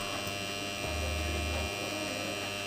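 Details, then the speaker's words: Cedar-Auto car battery charger plugged into mains: loud steady low hum from the power transformer itself, its core plates vibrating; fix is removing the transformer and securing the core laminations. "гол сходит с самого трансформатора вибрирует сердечник получается такой звук"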